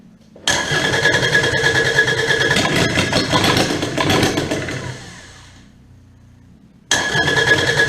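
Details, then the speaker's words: Kubota D722 three-cylinder diesel after injection pump work: clatters unevenly, fades and dies, then catches again. The fuel pickup is drawing lots of air with the fuel. "Why does that sound different? I looked at it and it's picking up fuel. With air. Is it? Yeah, there's all kinds of air in i"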